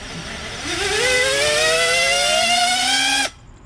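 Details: Quad on Betaflight 4.2 with idle up enabled, iFlight Xing 2306 2450KV motors and iFlight 50A 4in1 ESC: a clean whine climbs steadily in pitch for about two seconds, then cuts off sharply; normal, smooth motor spin-up.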